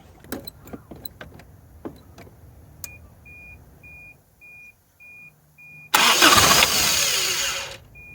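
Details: 1983 Toyota 22R (Encore motorhome), sat 20+ years, fed from a boat tank: a few clicks and a chime, then a brief rough crank that sputters without catching; fuel delivery suspected, choke seemed to close on one side only.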